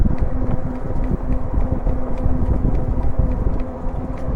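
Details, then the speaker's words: E-bike in pedal assist 2, gear 7, at about 14.5 mph: rapid, regular flapping ticks from the front wheel keeping pace with road speed over wind noise; something caught in the wheel, possibly tape. "Sounds like there's something flapping in my front tire. Something's in the wheel."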